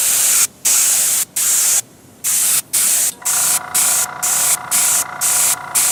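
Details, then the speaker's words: Paasche airbrush on a Master Airbrush TC-40T compressor, paint thinned about 50% with water: hissy spray in short half-second bursts with gaps, each even and steady; spraying normally. "I'll figure all that out some other time, but at least it is spraying now, so let's watch."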